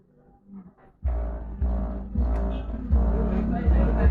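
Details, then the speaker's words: Duraware DR 231M subwoofer after repair of a no-sound fault, with temporary makeshift wiring; punchy bass thumps and music play clean and steady with no crackle or dropouts; speaker output normal. "speaker is working I can hear the sound I can't believe the dodginess that I did in this figure and we still have a working speaker"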